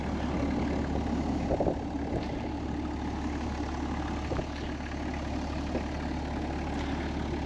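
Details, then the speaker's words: 1993 Toyota Land Cruiser 70 Series HZJ77 diesel with a 24-volt starting system fires on the first crank and settles to a low, steady, even idle clatter. Healthy, normal idle. "With the 24-volt starting system on this truck, fires right up like first crank every time."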